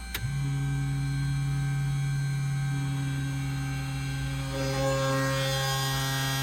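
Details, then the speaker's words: Continental IO-550 aircraft engine before its first cold start with a new ElectroAir EA21000 electronic ignition: a click, then a steady low electric hum of the boost pump priming normally from the left main tank. "We're going to prime it just normally. We're selecting left main tank. There's fuel in the left main tank."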